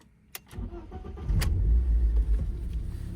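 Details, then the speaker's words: BMW E36 Compact 316i on a cold start: a brief crank catches into a low, uneven idle that stumbles. The misfire comes with an air-leak emission fault from a failed inspection; a MAF sensor change was needed. "hey you can actually hear that it's misfiring definitely not supposed to be like that"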